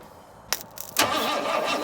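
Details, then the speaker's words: 1962 Ford Falcon inline engine cranked with a cable wired straight to the newly fitted starter on a possibly weak battery: a click, then the engine turns over at an even pace with no binding or clunking. "hey it turns over well that's cool"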